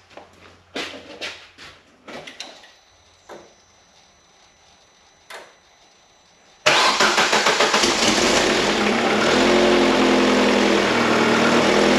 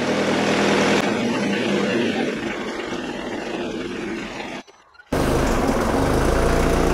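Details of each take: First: Opel Zafira GSI Z20LET turbo engine, first start after a reground crankshaft was fitted: fires with a few light clicks and settles to idle, and the bottom-end knock is gone; a big exhaust leak at the V-band clamp putters away. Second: Opel/Vauxhall Zafira GSI Z20LET turbo petrol, first start after fitting a reground crankshaft: bottom-end knock now gone, but idle runs a little rough with a loud puttering exhaust leak from the V-band clamp, getting smoky.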